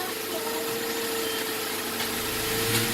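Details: 2004 Saturn Ion 2.2L idling steady and even after an alternator replacement, with a faint constant mid-range tone and no knocks, misses or squeals. Charging now reads about 14 V, against roughly 10.5 V with the old alternator.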